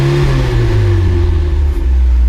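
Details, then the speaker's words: Boosted Mazda Miata 1.8 VVT engine, warmed up, after fitting a used VVT gear: deep, smooth note rising and falling with throttle, clean pull, no rattle or tapping; VVT now tracking target, engine healthy. "Oh yeah. Seems to be working. It feels strong. Finally, VVT working."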